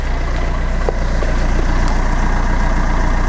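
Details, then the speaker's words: Fiat Doblo after oil sump replacement and new exhaust with cat, bumper off, engine light still on: smooth even idle, steady low exhaust pulse, less bassy, no knocks or rattles; normal idle. "oh that sounds so much better that sounds fantastic it's not as bassy"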